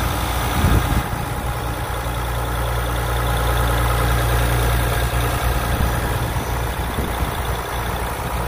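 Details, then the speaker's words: 2020 Ram 1500 EcoDiesel Gen 3 Bighorn at idle: steady low rumble with an even, crisp clatter on top, no misses or knocks. Normal healthy diesel idle. "I mean they can just barely hear it now obviously on the outside you've got that typical diesel clatter which I personally love some people don't like it I love it I wish it had more of it honestly"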